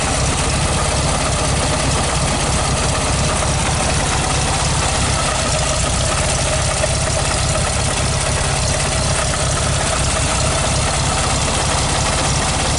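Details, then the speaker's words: 1969 Volkswagen Beetle 1500cc air-cooled after cold start with a bit of choke: busy, even clatter at steady idle with fan whoosh, no missing or heavy knock; sounds normal. "feel cold but this stage on I just love this sound the air-cooled Volkswagen sound is music to my I don't know what do you think"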